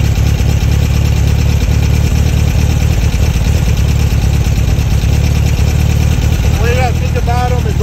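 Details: Dual Weber 40 mm IDF carburetors after the dirty idle jet was removed and cleaned: a low, steady idle with an even pulse and no stumbling or hunting; it runs smoothly.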